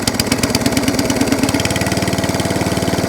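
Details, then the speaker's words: ATCO Balmoral 14S cylinder mower after a new throttle cable and carb anti-leak fix, started first pull on full throttle with a bit of choke, now idling: even, steady single-cylinder putter, no misses; idle could be a touch higher, adjustable via springs. "There you go. So that's on idle. That's idle. So it started first pull on the full throttle."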